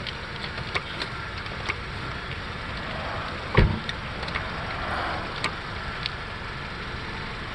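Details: 8th-gen Honda Civic (2006–2011, 08 model), before CV axle replacement: light, fairly regular clicks about every half second over low rolling rumble while turning the steering wheel; worn outer CV joint.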